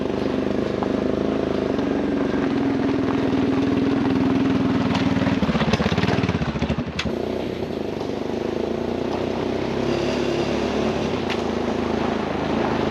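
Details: 1996 Honda FourTrax 200 Type 2 ATV after battery, carburetor, JB Welded cracked intake and rear sprocket; single-cylinder thump steady about three beats a second with some clatter midway, now starts and runs normally.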